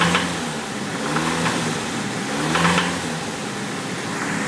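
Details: Nissan SR20DET engine at idle, then short throttle blips: a dull knock under the engine note rises with each rev. The owner says it is a bottom-end knock on the number 2 cylinder.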